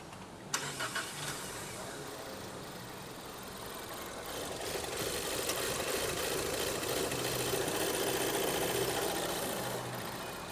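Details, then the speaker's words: 2018 Ford Edge 2.0L, running bad; the client claimed it needed a bank 1 oxygen sensor. At start-up it cranks briefly, catches, then runs uneven and lumpy without smoothing out while scoped; retarded valve timing. "all right this is going to be our first and it's jumping it's running bad right now"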